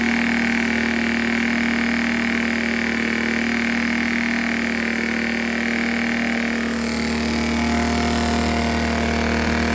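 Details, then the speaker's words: Predator Super Quiet Inverter 2000 after reseating the loose pushrods onto the rocker arms and adjusting valve lash, run with the air breather off: steady, even drone at constant speed, no ticking or misfire; running normally. "all right super happy that we got it running"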